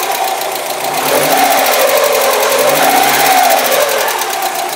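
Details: Mazda Miata started after months sitting and previous no-start cranking: fast fairly even ticking, about four per second, over slightly wavering idle, plus an electrical noise; source unclear; engine ticking at idle.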